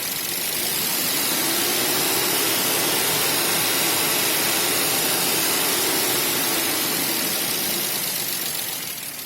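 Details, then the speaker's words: 1995 BMW E34 520i, 2.0 M50 petrol engine running on gas (LPG), steady idle with a light, even tick about three per second; knock near the VANOS appeared after replacing timing chains, tensioners and guides. Cause suspected, not confirmed. "так заводится с полоборота работать нормально тяга нормально только вот этот стук всегда слышу"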